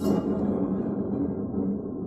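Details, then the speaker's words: Craftsman T110 riding lawnmower deck, blade moved by hand: clicking then loud, dry, nasty grinding rumble from a worn-out spindle bearing; bearings to be replaced (or whole spindle). "you can really hear that bearing is wore out and listen to this if it'll pick it up [Music] hear how loud and dry the nasty that sounds"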